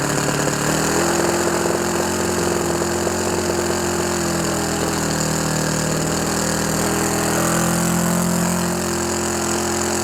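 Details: OS FS 91 Surpass 15 cc four-stroke methanol engine, first start for break-in after a crash repair: new crankcase cover, carb body, ring, bearings and seals, plus epoxy-welded exhaust, propeller probably 14x7. Uneven, burbly, wavering note. Mixture set very rich to bed in the ring.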